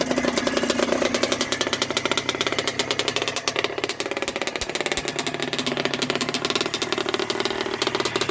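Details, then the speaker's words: 1980 Yamaha YZ80G two-stroke after rebuild with new piston, rings and small-end bearing, being run in, on choke, exhaust pipe cleaned out: crisp, rapid crackle with a harsh, raspy bark at fast idle; loud from worn muffler packing needing repacking. "Sounds a bit louder since I've cleaned out the exhaust pipe. The muffler needs to be packed. Sounds pretty strong though."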